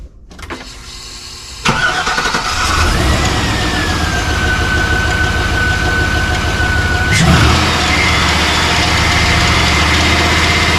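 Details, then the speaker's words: 1986 Chevrolet C20 Suburban, 6.0 LQ4 LS swap, started after reassembly following a loose cam gear (P0343): fast steady clatter of about four ticks a second over idle; valve train clatter, wiped cam and lifters suspected. "very clattery very freaking clattering so yep hopefully we didn't wipe the lifters and cam out but it's uh certainly looking like we did"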